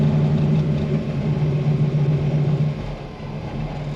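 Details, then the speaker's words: Fox-body Mustang with Holley carburetor and no choke, cold-started: slow, lumpy idle around 500 rpm with a steady low thrum and even firing while cold and steaming; normal cold idle. "she idles she's idling I'm not sure if you guys can hear that she's probably idling 500 RPMs"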